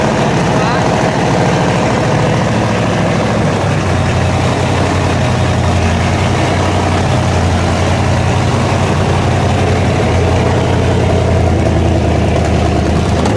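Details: 1956 Ford F100 custom pickup, 460 cubic-inch V8 running on liquid propane, automatic transmission: deep, even V8 burble at idle, revs rising and settling smoothly, no knocks or misses; healthy, normal idle and revving.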